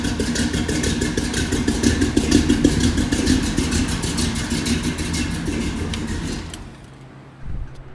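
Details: Big-block Squarebody GMC Jimmy after propane-to-gasoline conversion, new starter not yet shimmed, mic unplugged: V8 fires, strong even beat, picks up cleanly on throttle, shuts off; normal running.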